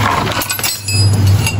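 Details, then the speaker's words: Motorcycle with a worn, stretched drive chain fitted for demonstration: loose metallic clinks and rattles over a heavy low drone as the slack chain slaps the sprocket; often mistaken for bad wheel bearings. "É esse barulho que faz aqui, que muitas vezes as pessoas ficam trocando rolamento à toa. No entanto, é isso aqui, tá, pessoal?"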